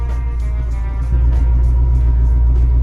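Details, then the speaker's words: 1993 Corvette ZF 6-speed manual gearbox, idling in neutral before its 10W-60 oil change, clutch depressed then engaged. Idle rumble with a thin steady tone rising once the clutch is let out; transmission whine the owner wants to resolve. "So that's the transmission whine that I'm looking to resolve."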